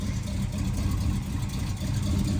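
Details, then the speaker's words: 1979 Camaro V8 after rocker arm replacement, carb with no choke, heard from behind the car: low steady even burble, no ticking or knock, idling low, possibly because cold; smoke from oil on manifolds. Normal idle. ">> It seems to be idling pretty low. Do you think it's just because it's cold?"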